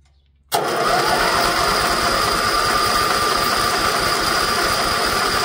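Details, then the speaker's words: Old Briggs & Stratton gas-fuelled generator, electric start, first run in years, choke on: starter spins steadily about four beats a second but never fires; no gas getting through until regulator purge valve used, then it started. "I don't know if we're getting gas through. Ah, there's a purge valve on the regulator."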